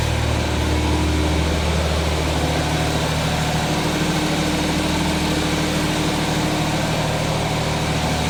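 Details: 1979 210 at high fast idle after choke fix, lopey irregular shake with low uneven beat; still misfiring, pulling wires 1 and 4 killed it, 2 and 3 dead, air cleaner off.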